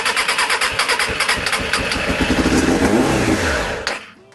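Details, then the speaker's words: Suzuki Bandit 600, stone cold start on choke: fires, then stumbles with ragged revs and dies after a few seconds; owner suspects it's not getting fuel, not confirmed. "That sounds like it's not getting any fuel whatsoever."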